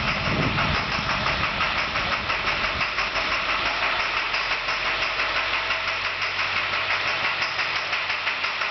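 Steady diesel idle with a sharp, regular knock about three times a second standing out; a bad injector knocking.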